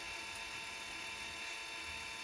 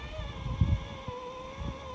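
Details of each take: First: Celestron CGEM II equatorial mount during hypertune: faint, steady high-pitched motor whine, no clicking or grinding from the gears as before; very little play, normal quiet motor drive. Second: Celestron CGEM II equatorial mount before hypertune, motors and bearings later replaced: steady high slewing motor whine with irregular low thumps, drive labouring against a very stiff axis.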